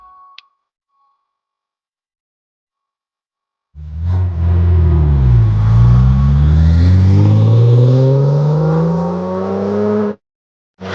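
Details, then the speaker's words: Corvette V8 after hydrolock from a hung injector, one cylinder's coil and injector disconnected, revving with a rough, uneven lope on seven cylinders, before teardown: dead cylinder misfire. "Okay. Obviously, it's firing on seven. I'm sure it's got plenty of power to push it on seven."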